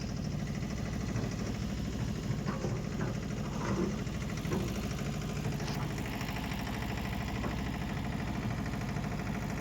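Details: Diesel engine at idle, low clatter with an irregular lumpy beat about once a second; rough, unsteady idle. A bad injector is suspected, not confirmed.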